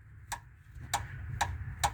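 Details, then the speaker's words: 2005 Mazda 3 2.3L idling: sharp, hollow knocks about twice a second over a low hum, echoing toward the back and side of the car; worn rear engine mount, bearings already replaced and checked good. "it's a loud knock, tick, and it echoes back there, and it shoots out the back. Sounds like a knock from the side of the car."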